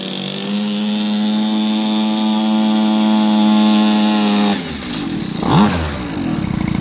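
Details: Cheap mini motorcycle, years as a decoration, tyres aired and fresh gas added, ridden outdoors: steady even high-pitched buzz, quick rise and fall on throttle, pulls cleanly; running good, normal.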